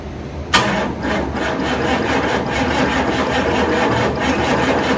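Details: 1991 hearse with a rotted fuel system, new fuel filter and 2.5 gallons of fresh gas added: the starter cranks evenly but the engine never fires; throttle body disassembly is suspected to be needed.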